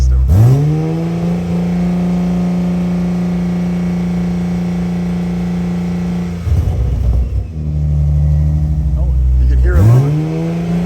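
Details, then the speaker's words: Toyota Supra A90/MKV 3.0 just fitted with a 65 OMEGA turbo kit, running the service-function coolant bleed for about 15 minutes: steady raised idle, even low drone, turbo audible, no knocks; normal. "now you just leave it for about 15 minutes and it will go through the coolant set set up there and it'll bleed the system"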